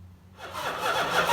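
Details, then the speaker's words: 1970 Chrysler Imperial, 440 big-block V8, parked since 1993, test crank after starter work: strong, brisk cranking that builds quickly, starter spinning the engine over healthily, much happier than before. "We're gonna try a little test hit here on the starter, see if she sounds a little bit better than last time. Much happier."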